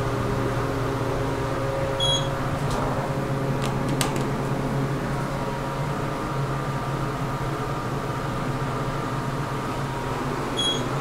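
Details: KONE hydraulic elevator, 2500 lb capacity, 5 stops: steady low fan drone with faint hum throughout the ride, louder than a cab fan should be; noisy cab fan, cause unclear.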